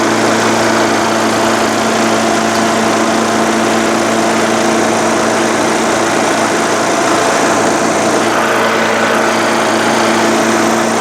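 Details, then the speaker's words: Craftsman LTS1500 lawn tractor with rebuilt 17.5 HP Briggs OHV single-cylinder made from two blown engines, full oil, valve lash redone, PTO and mower deck running: holds smooth, steady speed under load, even drone, no knocks or vibration; healthy. "absolutely perfect PTO works great more deck seems to work great no vibrations engine seems fantastic"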